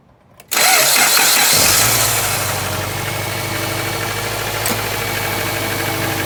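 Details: Subaru 2.5L non-turbo (2002-2007 Impreza/Forester/Outback/Legacy) after belt tension adjustment for squeal while steering: engine fires right up and settles to smooth even idle with no squeal or chirp from the belts.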